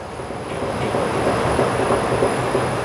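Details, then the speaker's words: Fiat Uno (Palio-type) suspension: loose clattering knocks, about three a second, as the strut column is shaken by hand; noise felt throughout the car, front and rear, from worn strut top mount, ball joint and bushes. "esse barulho é andar no carro todo tá mora na traseira uma hora na frente"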